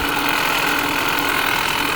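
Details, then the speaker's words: 2020 Ford Escape 1.5 running with a constant high whine over the engine and no knock. Owner hears it mostly from the alternator, first suspected the water pump, and the whine seems to go away with the AC off. Whining noise while running. "We're hearing most of her coming out of the alternator."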